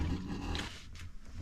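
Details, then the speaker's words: Newly installed water system, valve opened for the first time; low gurgling rush with a throaty rumble as water passes through the non-return valve, normal flow noise; a leak then appeared and was stopped. "that sound was the water passing through the non- return valve water went through"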